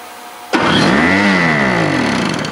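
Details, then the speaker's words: 1970s–80s Snapper snowblower with a 5hp two-stroke Tecumseh engine, after carburetor cleanup, primed with two-stroke fuel and started electrically. It catches on the first crank and runs up to a steady buzz without hesitation or misfire: a healthy start. "well good golly miss molly i'll tell you what that was impressive didn't even hesitate we've got a runner"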